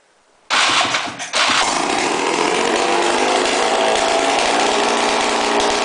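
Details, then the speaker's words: 1995 Polaris 400L Sport two-stroke ATV run with the exhaust removed after a mouse nest was cleared: brief stumble, then harsh, very loud unmuffled crackle; missing exhaust. "And I'm going to show you what a four-wheeler sounds like without an exhaust. This is a two-stroke. It's really loud."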